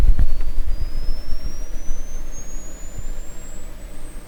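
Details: 1929 Templetone radio speaker, microphone close up: faint thin tone gliding steadily upward, very quiet, like distant birds, because the cone is detached from the voice coil.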